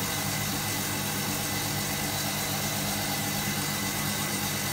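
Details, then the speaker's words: Hotpoint Supermatic De Luxe 9414 twin tub, new belts fitted, which made a clear difference: steady, even motor hum with a smooth belt whirr, no knocking, slipping or squeal; the spin runs healthy. "the new belts on it have definitely made a difference"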